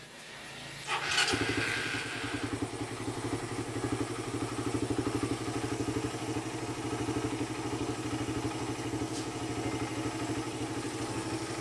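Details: Single-cylinder motorcycle with 28 mm Keihin carburetor; it previously bogged on throttle and hard-started when hot. Even, steady thumping idle with no misses, stumbles or surging. Normal healthy idle after the fix.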